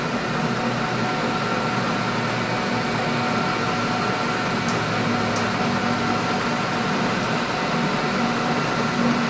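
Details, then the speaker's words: Lathe turning a machinist jack barrel with a support added: even, steady whir under a continuous cut with no squeal or rattling vibration. The support stopped the earlier chatter and the part is cutting cleanly. "yeah that support really helps a lot because it was chattering before now the chatter is stopped"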